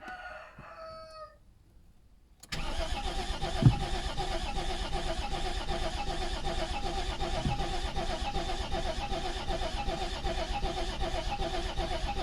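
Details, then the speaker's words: Volvo 740 TD diesel sitting about 10 years, new battery, 10-year-old likely contaminated fuel: starter turns engine over at steady even pace for several seconds, never fires; owner suspects old fuel. "Well, this story is not actually a happy ending because it won't start just now. But actually the fact that it turns over and it sounds good, it means that it will start."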